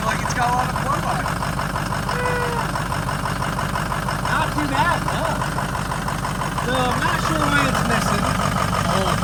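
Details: Car driven home running poorly after a burnout event: rough uneven idle with rapid puffing chuff from exhaust pipe and occasional stumble; exhaust leak confirmed by smoke, with a slight misfire.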